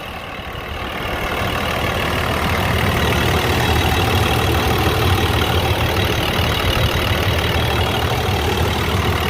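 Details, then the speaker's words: 2001 International 4700 DT466E diesel rear-steer Lightning grapple truck just after start: an even, steady diesel clatter settling into idle with no knocks, misses or surging. The engine sounds healthy. "It's a 2001 International 4700 DT466E rear steer Lightning grapple truck. Motor sounds great."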